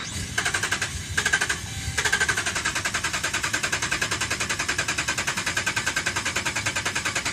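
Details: 2011 Dodge Ram, about 75K miles: rapid machine-gun clicking in bursts, never catches into a run; crank no start, dealer found defective TIPM (Totally Integrated Power Module), replaced under warranty.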